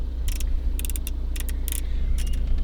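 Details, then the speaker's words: Mercedes E350 (A207/W212), engine idling: COMAND menu control knob gives bursts of sharp light clicks when turned with no response; knob is broken. "um that's one thing this one menu it's for the menu as you can you can probably hear the connecting clicking sounds nothing is happening"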